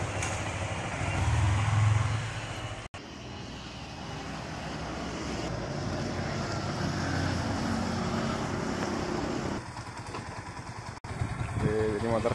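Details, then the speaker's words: 2019 Yamaha Vixion R after major service fixing rough engine noise from a damaged camshaft bearing; engine now runs with an even drone under steady throttle, no knocking or clatter, sounding normal as usual after repair. "Dengarkan suara mesin [Tepuk tangan] dan hasilnya normal seperti biasa."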